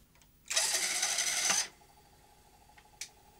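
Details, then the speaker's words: Philips N1502 video recorder after head drum drive belt replacement, tape playing: about a second of hissy high whirring, then stops; strange drum noise persists, drum sounds to be struggling, cause not yet pinned down, tape possibly in poor condition. "no the uh i can still hear that strange noise not happy okay it's there just a tracking this tape appears to be in poor condition"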